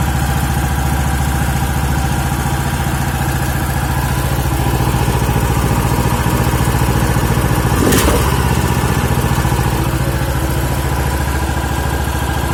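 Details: Champion G390HK single-cylinder engine after overhaul (crankshaft, connecting rod, piston rings replaced), first start: even, regular idle thump about three and a half beats a second, no knock or miss; normal healthy idle.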